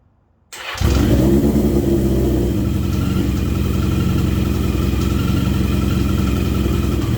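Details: Yamaha XJ650, about 40 years old, after clutch repair (missing friction plate) and leaky cam cover fix, oil freshly filled: starter catches within a second, then steady, even idle with no knocks or rattles; running healthy.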